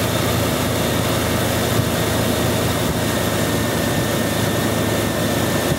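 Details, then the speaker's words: Jeep 4.0/4.6 (2000-2006) engine idling smoothly with a steady drone and no misses, ticks or surging, after a cam sensor install. "smooth is simple as that all fired up running smooth done"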